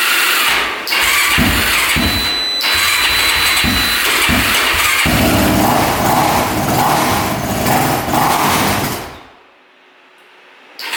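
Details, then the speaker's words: Machine with dead battery started on jumper with choke pulled: engine catches and revs unevenly with sputtering bursts, then stumbles and dies; very hard starting, needs full choke to come close to running, rough running; cooling to be checked next. "something a little rough um it definitely needs to choke out to even be close to starting so it's really really hard starting and um yeah it's not sounding the greatest"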